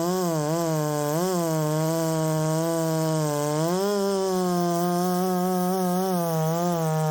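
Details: Ported Poulan 3750 chainsaw on an adapted Chinese Echo 590 carb, after the loose exhaust was retightened, tune unchanged: a buzzy idle whose pitch swings up and down every second or so. The idle won't settle and richening seems to load it up.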